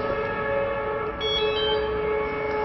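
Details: Samway hoverboard after gyro sensor board replacement, previously one wheel wouldn't run with red light beeps: powers on normally with a steady cluster of electronic tones, no beeping or grinding.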